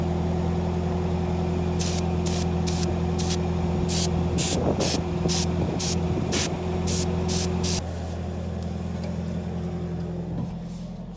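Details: Tractor that needed jump-starting and eventually ether to start: slow, steady starter churn with sharp rhythmic hits about three or four a second that never catch; the diesel keeps cranking without firing.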